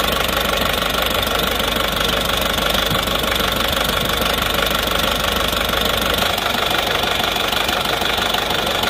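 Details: Diesel engine just started, still cold, already showing heavy blow-by: harsh rattly knock about two per second at idle, pointing to internal engine wear before teardown.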